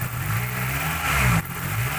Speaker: Nah, suaranya masih responsif.